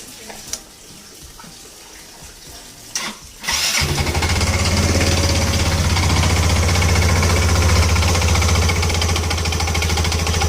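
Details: Yamaha Ego LC scooter idling: loud, clattery rattle from the CVT drive rather than the engine, noise from loose, worn CVT parts.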